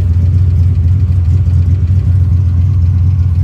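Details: Turbo 331 small-block Ford Foxbody Mustang street car cruising; deep, even rumble under way with no knocks, misses or odd noises; normal running.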